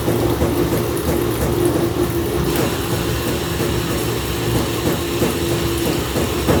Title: Samsung washer weirdly shaking and making noises